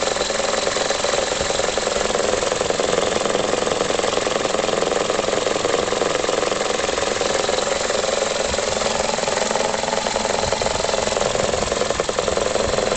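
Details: 2004 facelift Toyota Corolla E12J, 1.6 VVT-i 3ZZ-FE petrol: idle never settles, shaking with an uneven pulse about two to three beats a second; rough idle, cause unknown.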